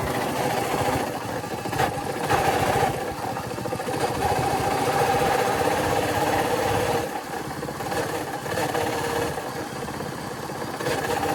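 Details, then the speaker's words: Royal Enfield Classic single-cylinder engine running: uneven mechanical rumble and rattle under the beat instead of a clean thump; engine bearing has failed, to be replaced under warranty. "ये आवाज है रिबॉल क्लासic का और इसकी गाड़ी का engine का bearing खराब हो गया है"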